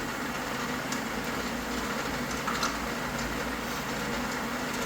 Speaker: You can hear it's quiet. It's not rattling or very loud, so you can tell it's on and running.